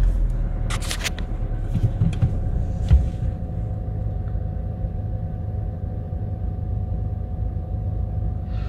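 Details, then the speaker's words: Audi A1 that failed MOT on emissions, cold frosty start after new O2 sensor and spark plugs refitted to address a misfire: steady low rumble with a few early clatters then no stumble or misses; idles normally. "right at the moment she's taking over right which we knew that wasn't the issue"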